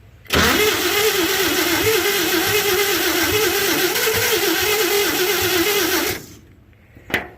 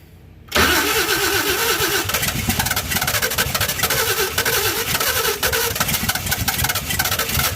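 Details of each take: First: 1952 Chevy being brought back to life, with oil put in and the old starter in use, cranking steadily at about four turns a second for six seconds without firing; owner suspects low compression from slightly seized rings. Cranks but won't start. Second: 1952 Chevy first start after fitting a fuel pump and adding oil. It cranks and fires at once into a busy, steady idle with even firing and no knocks; a normal start and idle.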